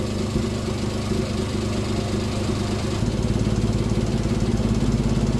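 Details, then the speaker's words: Turbo-swapped Honda Beat PP1 with no idle valve, warm with coolant reaching 90°C: idle smooth, then slows and turns lumpy as cooling fans switch on; idle drops under fan load, owner suspects it is too lean. "So the fans obviously are running. Idle's dipping down pretty bad. Could be because it's obviously too lean here, but remember, we don't have an idle valve, so I can't adjust for it."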